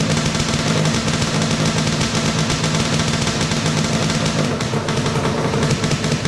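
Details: 421cc Yamaha Banshee two-stroke twin with 39 PWK carbs, first run after engine install; fast, crackling firing holds steady with no misses or stumbles on choke; running cleanly.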